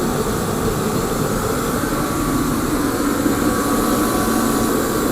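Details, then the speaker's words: Torpedo heater (ProTemp 45K BTU or Century 97K BTU), lit by propane torch through the side holes because the igniter is missing: steady, even flame-and-fan roar, no surging, popping or sputter. Normal burner operation; needs only a new igniter. "and it's running so that tells me that nothing is wrong else is wrong with this unit so if I get that igniter in it's going to be a good running functional unit"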